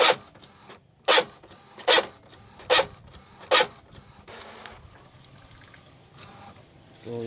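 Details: Epson L565 inkjet printer while printing: harsh, rasping bursts about once a second, a grinding noise that comes with double-line, double-image printouts.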